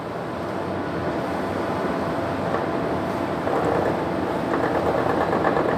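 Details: 220 V la băng sewing machine test-sewing two pieces of material: steady fast whirring hum with a light even rhythmic needle patter, no knocks or grinding; running normally.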